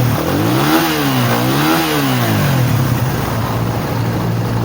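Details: Raider 150 single-cylinder motorcycle after repair of a ticking noise (bent, scored cam replaced, gaskets and lining changed): engine blips up and settles back smoothly with no ticking over the exhaust beat.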